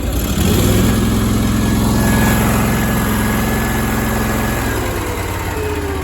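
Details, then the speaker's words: Power Trac PT-425 with Kohler 25 hp twin after oil leak and conversion kit fix, reassembled and fired: even, steady idle with smooth low beat, no knocks or misfires; normal running. "Alright, it fired here just a little bit ago. A little stuff down there. It sounds good."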